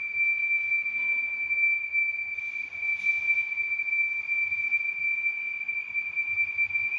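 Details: 2015 Audi A8 L: constant high thin whistle at one pitch over a quiet engine, traced to a faulty PCV oil separator leaking vacuum.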